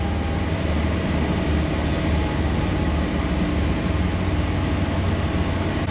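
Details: 2024 Toyota Tundra, 1500 miles, fresh start after first oil and filter change: deep, steady, even idle with no ticking or knocking; oil pressure about 3/4 on gauge; clean, healthy cold-start idle.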